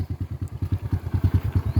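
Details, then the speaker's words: Honda scooter that jerks and stalls when pulling away, needing high revs and clutch slipping to ride: low chuffing pulses about eight a second without clean pull. Clutch spring suspected but found intact; clutch drive gear cracked and worn. "เดี๋ยวมันต้องใช้รอบสูงนะครับถึงถึงจะขี่ได้ลองเอาครับต้องเลียคลัชนะครับเหมือนเป็นเหมือนเป็นคลัชมือนะครับผมว่าน่าจะสปริงคัชครับ"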